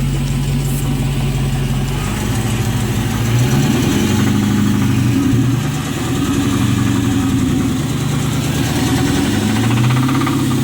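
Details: 2006 Dodge Charger R/T V8 petrol engine near idle with light revs and an underlying knock; cause unknown.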